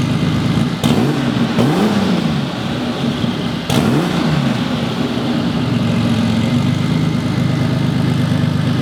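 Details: Turbocharged classic Porsche 911 on its Garrett GT30 turbo, before swapping to an eBay turbo: quick catch, clean sharp blips rising and falling smoothly, then settling to a steady idle; healthy.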